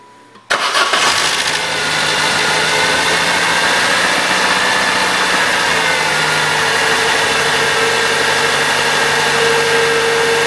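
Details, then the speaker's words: 1997 Saturn after belt tensioner replacement: engine catches quickly and settles into a smooth, even idle with no squeal or rattle from the belt drive; previous noise gone, normal idle. "Well, seems to be good from here. I like it."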